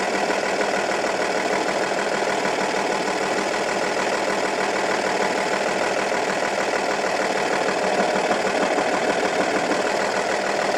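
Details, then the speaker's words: Audi A8 D2, 2.5 TDI V6 AKE diesel, rough idle that began after the owner replaced hydraulic lifters and rockers. Loosening cylinder 4's injector nut leaves the lumpy idle unchanged while cylinders 5 and 6 change it: cylinder 4 dead. "when unscrewing the nut from the injector of the 4th cylinder , the engine operation does not change, and when unscrewing the nut from the injectors of the fifth and the sixth cylinder, the work of the engine changes and you can hear it"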